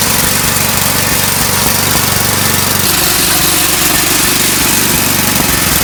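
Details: Eaton Viking tracked snow blower after new carb, fuel lines, belts and track repair/adjustment: small single-cylinder engine runs steady and even at a fast rhythmic beat, no rubbing or scraping from the drive; healthy.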